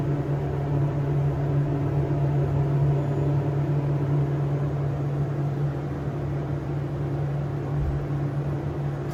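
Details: SEIM screw pump in machine room of elevator modernized a few months earlier, replacing old Dover: constant heavy low droning hum, no variation or knocks; pump very noisy.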